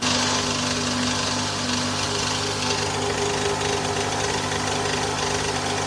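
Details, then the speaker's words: 2011 Toyota Vellfire ANH20 with the 2AZ-FE engine, recorded before balancer shaft replacement. Roughness is worst when cold and fades when hot. Coarse running with a buzzy drone and harsh rattle from the worn balance shaft. "Nah itu tadi ya video sebelum penggantian balanerap"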